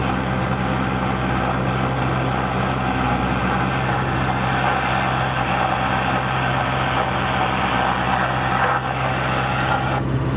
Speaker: it sounds like we're running okay now